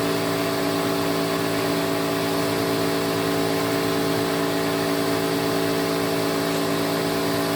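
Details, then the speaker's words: 1986 Electrolux Twin Turbo Super Z551 vacuum: steady motor whine with a harsh, gritty drone from the brush roll. Bearings and brush roll are greased, but a slightly melted thread in the head's bearing seat leaves it sitting off-centre, so it is noisy on wind-down. "believe it or not the um the bearings and the brush roll itself have been greased and everything all the cleanup as usual has been done it's just the fact that it's not sitting correctly which is why it's um making that horrible noise"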